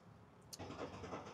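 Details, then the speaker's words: BMW N57 diesel with a snapped timing chain: the crankshaft spins but the camshafts don't, so it cranks evenly and never fires; such engines also throw a camshaft fault code. Crank, no start. "this one doesn't start up. Crankshaft spinning, the cams are not spinning. We won't have complete combustion to start this."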